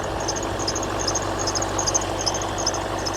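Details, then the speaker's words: 2012 Range Rover L322 4.4 TDV8 diesel at idle: a high, bird-like "eek eek" squeak, not a belt squeal, repeating two to three times a second and loudest down by the alternator. Owner suspects the recon alternator fitted in France and belt misalignment. "It's not squealing belt. It's an eek eek. It sounds exactly like a great tit in the morning to be honest."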